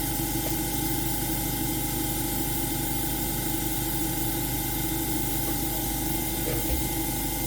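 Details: AromaO2 coin-operated oxygen concentrator switched on manually, before the oxygen test: the compressor gives a steady, even hum at constant pitch with no knocks. It is running normally, and the unit is later shown producing about 30% oxygen.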